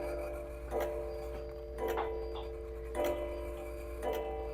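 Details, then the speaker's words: American-made antique humpback 8-day mantel clock that cannot be turned backwards: clear bell strikes about a second apart, the strike count off from the hands, as it strikes the wrong number of times after hands were advanced before striking finished. "Um, now let's say it does strike the wrong number of times, which this one just did."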